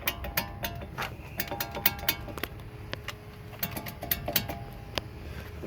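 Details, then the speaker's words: 1998 Infiniti I30 at 180,000 miles with squealing or roaring from the front passenger side: sharp metallic clicks and knocks about three a second as the loose front wheel is rocked by hand; suspected bad wheel bearing. "1998 infiniti i30 180 000 miles if the uh banshee like squealing or roaring from the front passenger side doesn't tell you that it's a bad wheel bearing maybe this will"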